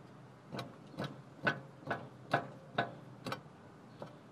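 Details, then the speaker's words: Toyota Land Cruiser 100 Series, driver's side wheel jacked up and levered with a crowbar: nine sharp clunks about twice a second; lots of play and a torn boot, worn lower ball joint needing replacement. "there pretty much just a lot of play on the driver's side and the boots pretty much uh toasted"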